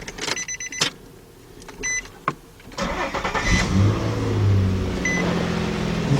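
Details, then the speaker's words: 2005 Nissan Pathfinder 4.0 V6 after spark plug replacement for a misfire, codes cleared: brief crank, clean catch, smooth even idle with no misfire stumble; healthy start. "so there we go good response easy sounds good sounds good"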